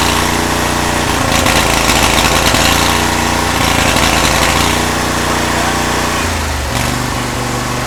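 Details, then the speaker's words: Cub Cadet 1641 tractor single-cylinder engine after carburetor cleaning, choke on: lumpy uneven beat near four pulses a second, sagging in speed, loud when leaning out; running rough, owner suspects carburetor still dirty. "The thing is loud when that thing starts leaning out. It still sounds like it's like not running great."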